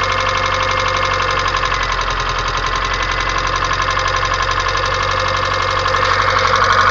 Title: 1994 Kia Sephia Engine Ticking Noise